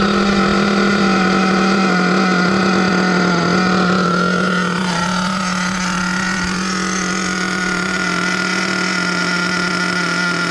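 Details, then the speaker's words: Savage X46 nitro RC with a rebuilt all-metal-gear three-speed transmission, tuning the shift point: the engine drones at steady revs and sags once, but no clear shift is heard; it won't shift into third. "so i'm not getting second first into second i'm not hearing it is it stuck in second gear i don't know i know it's not shifting into third"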